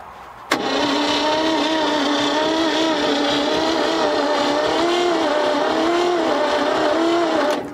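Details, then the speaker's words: 1957 Viking truck abandoned in the woods for over 50 years, with no fuel in it; the battery may not be fully charged and spark is unknown. A long, labouring, wavering starter drone with weak compression-like suction: cranking too slowly and not firing. "very little suction on it it ain't turning over fast enough and we need some gas"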